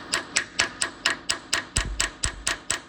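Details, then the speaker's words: Thwaites dumper bought at auction: fuel pump making sharp, even ticks about twice a second, "tappy tap tap", working against a dirty sticking valve with spring in the fuel line restricting flow. "Look at that little tappy tap tap."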